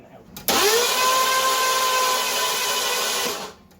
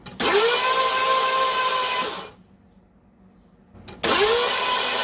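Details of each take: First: 1982 Ford LTD after a carburetor rebuild, spark plugs out, cranked to check the valves open and close. Starter whirs up fast to a smooth, even spin for about three seconds with no chuffing pulses: cranking without compression. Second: 1982 Ford LTD after carburetor rebuild, still not running: two cranking bursts of about two seconds, fast even whir with no chugging beats, showing no compression; owner suspects major engine trouble such as a head gasket.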